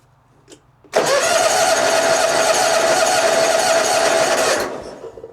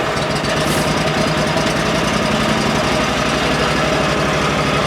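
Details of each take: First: 2004 Hustler zero-turn mower, cold at about 39°F, choke fully out, jump pack connected: starter turns the engine steadily at about four compressions a second for nearly four seconds, never fires. Crank no start; no spark, ignition grounded out. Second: 2004 Hustler zero-turn mower, previously no-spark, starting on a jump pack because the battery is low: steady, even thrum with no misses. Owner suspects a corroded ground or stuck ignition switch freed by jostling wiring. Normal idle.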